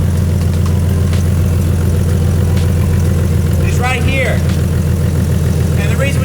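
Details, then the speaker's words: BMW M4 Competition, about 720 whp, first start after a big turbo kit install: loud, fast, uneven puffing and ticking under a deep idle. A massive exhaust leak at the downpipe, which has only one flex joint; a new downpipe is planned. "We have a massive exhaust leak right now. You can hear it."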